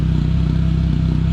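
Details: Pontiac Sunfire idling after 70–80 miles of driving, with a fuel smell and check engine light: steady rhythmic whoop, a pulsing dip in the exhaust note several times a second, as one cylinder intermittently misses; misfire at idle.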